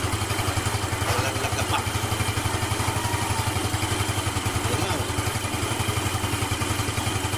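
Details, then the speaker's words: Yamaha Nouvo Z scooter after CVT cleaning: even, steady idle pulse with no belt flapping or banging; remaining noise is normal gear sound, drive smooth and normal. "Normal lang yung ingay niya yan sa mga gear niya yan. Hindi na siya kumakalag na."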